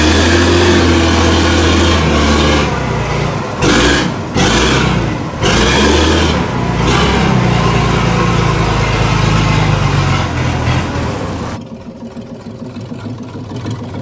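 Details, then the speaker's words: Weatherill loading shovel's six-cylinder diesel, revived after 18 years standing, pulling along through a rutted yard. It keeps a steady, even low beat with regular firing and no missing pulse; all six cylinders fire. "to that now running on all six is a enough that is mad a see I told you a bit of work and that may free that valve"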